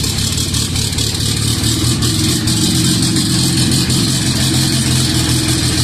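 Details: Cammed B18B1 Honda EG, first start on E85, started by jumping the starter wire, stock MAP sensor, no wideband yet: loud, steady, slightly lumpy idle with an even exhaust beat and no knocks or grinding; healthy.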